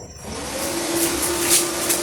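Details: MMA-250 inverter welding machine after repair, final test on a 10 A breaker: a soft whir rises and settles into a steady fan hum after switch-on, with no buzzing or tripping; the welder powers up normally.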